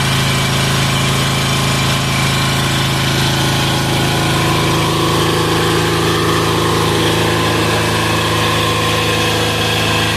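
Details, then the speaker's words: 186FA single-cylinder diesel running on waste vegetable oil filtered to half a micron, after purging an air pocket: steady, even thump at idle with no knocks or stumbles, good throttle response; running cleanly. "oh throttle response is okay all right that's pretty cool"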